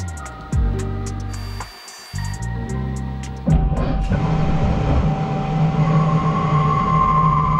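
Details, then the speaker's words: Carbide boring bar with a .031 nose radius on a twin-turret CNC lathe: after clicking, the cut settles into an even hiss with a faint high ring. Still chattering but not screaming like the steel and heavy-metal bars; mild boring bar chatter. "good still chattering but it's not screaming like the other Bars were so that just goes to show you what a difference your bar Choice can make"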